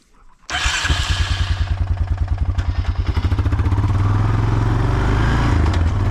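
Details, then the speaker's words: 1995 Honda Foreman 400 ATV after a new muffler and a quick carb clean (the carb still drips occasionally): the engine catches and settles into a steady, even putter with a soft, muted exhaust. Nice and quiet; normal running. "that's nice and quiet now"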